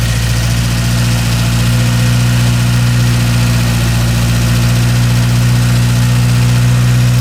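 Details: Idle of a Porsche 924 Turbo after replacing all spark plug wires; the distributor has a vacuum retard. Steady, even low idle with a smooth pulse and no misses; runs cleanly and sounds healthy.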